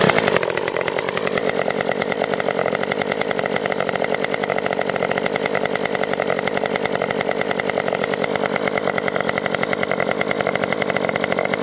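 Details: Stihl MS 194T top-handle chainsaw after muffler mod (inner baffle removed) and tuning, cutting red oak; strong steady high-revving buzz holding pitch through the cut without sagging or stalling, running normally under load.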